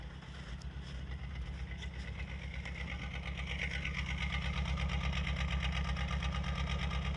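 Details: Lada Kalina at 50,000 km, check engine light on, misfires: idling petrol engine with fast, fairly regular ticking knock over an uneven beat; engine knocking and misfiring at idle.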